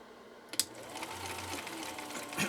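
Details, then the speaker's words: 1960s Husqvarna Viking 6440 Colormatic sewing machine after parts and adjustments, slow gear re-engaged, sewing as foot controller is pressed: quiet even motor whir with needle clicks, audibly kicking in; runs smoothly at slow speed. "did you hear that uh kick in it kicked in as i was uh pushing on the foot controller again"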